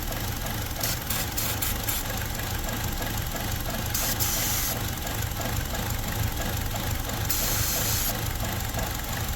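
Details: 2017 Buick Encore with check engine light and surging, parts store blamed oxygen sensor: petrol engine chugging unevenly at idle during spray testing for a vacuum leak; rough idle from vacuum leak.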